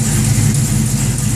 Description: Weird clanking sound. Not sure if its an exhaust leak, Valvetrain or Longtube header noise?